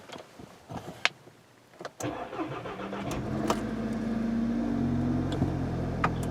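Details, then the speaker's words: Intermittent extended crank on a 2013 Volkswagen GTI 2.0T GDI turbo, first start after sitting: starter churns about three seconds before it catches and idles, then runs fine. No codes stored; fuel pressure bleed-down suspected, not confirmed. "customer said that the initial startup there will be an extended crank but it will start up on the second attempt and after that it runs fine it's only the initial startup"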